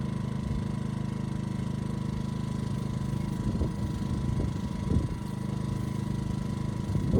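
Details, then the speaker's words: Ryobi RYI2300 inverter generator after adjusting the easy-start knob, previously not turned enough: steady hum with slight bounce as load comes on, then settles; stalling solved, normal running under load. "okay good so stalling issue is solved just wasn't turning the knob enough"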